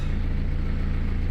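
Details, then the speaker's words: Ford E150 van, 2.8 turbo diesel, 341,000 km, left outside for about 10 months, fired straight up on a new battery: deep, even diesel clatter at steady idle with every beat regular, no misses or knocks; healthy idle. "so the good news is this starts right starts every time drives every time 2.8 turbo diesel 341,000 km on the clock"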